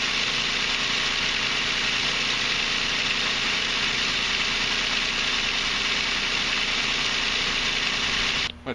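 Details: Infiniti/Nissan Maxima at first start after water pump replacement and timing chain tensioner install, revved to about 3,000 rpm to build oil pressure: dense metallic chatter from the tensioner until oil pressure purges the air.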